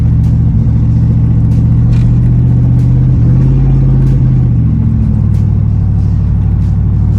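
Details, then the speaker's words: 1995 Chevy Impala SS driving at night just after the engine was washed: the note is mostly steady but uneven, with slight stumbles and sputter. Misfire from water in the Opti-Spark distributor; it idles fine but acts up at operating temperature. "And if you don't know what I'm talking about, here go a clip of me driving it at night when it started messing up on me after I had just cleaned the engine."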